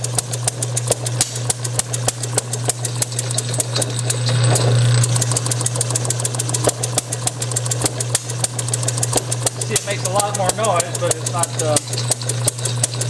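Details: Bessemer model engine spun by an electric motor with Hall-sensor ignition, timing set about a couple of degrees past top dead center: sharp regular pops about three a second, uneven in strength, over a steady motor hum. Fires only intermittently; cause unconfirmed.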